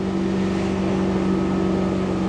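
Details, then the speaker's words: MerCruiser 383 MPI boat engine cruising on calm water at about 25 mph; smooth steady drone, no misses or surges. Normal cruise before later bucking and rough running traced to foil from a fuel-cleaner bottle. "I love days like this, just cruising when the water is nice and calm and you can just do 25 miles an hour. You can hear the sound of the engine now."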